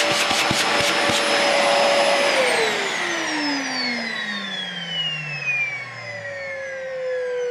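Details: Dyson DC40 vacuum making a loud high whine that holds steady, then slides down in pitch as the motor spins down after switch-off; cause unknown.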